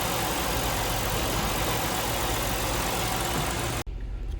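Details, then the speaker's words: 1989 Ford Ranger 4WD, five-speed manual, idling just after the EGR valve was disconnected: smooth, unbroken rumble with no misses, and running condition unchanged. Normal idle. "nothing happens no running condition has been changed"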